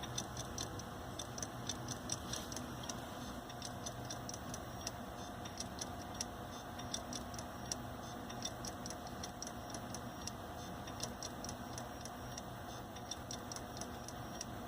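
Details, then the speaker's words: Failing Hitachi hard drive in a Linux mdraid RAID1 array, late-night drive replacement: sharp, regular clock-like clicks over a quiet hum as the drive locks up, resync speed dropping. "I think this is the Hitachi drive here. Yeah, it's definitely this drive. I can feel the noises. Yeah, it's this drive here. This is that Hitachi drive from my video that was failing."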